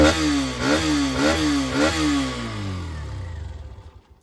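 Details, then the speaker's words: Hero Xtreme 125R motorcycle, owned about 11 months, revved from idle: four quick throttle blips rising sharply and dropping back to a clean idle; healthy sporty exhaust note. "सुनो मतलब भाई आपने सुना कितना sporty इसका bike का जो exhaust note है वो साउंड करता है ठीक है"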